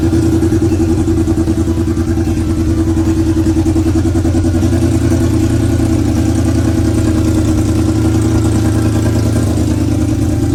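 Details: Honda CB400 four-cylinder with square Keihin carburettors swapped into an off-road golf cart, first start after throttle linkage setup; smooth, even run with steady tone, regular pulses, no misfire; normal running.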